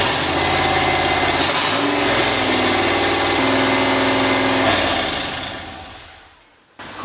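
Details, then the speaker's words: LS V8 turbo Miata kart, first run: lumpy, uneven idle, revs wandering before dying away; rough idle after first start. "it runs so it's a few days later corey stopped by loaded up a tune uh it sort of worked didn't sort of work"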